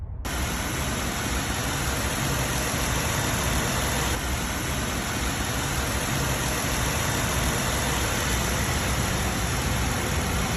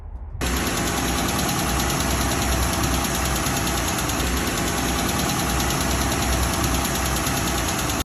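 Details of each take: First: 2012 Jeep Wrangler JK with Pentastar V6, after rocker arm replacement: a smooth, even idle with a steady hum and hiss and no top-end tick. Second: Pentastar V6, running: fast, light metallic ticking from a failing rocker arm, with the ticks coming closer together as the engine is revved; the rocker arm is replaced afterwards.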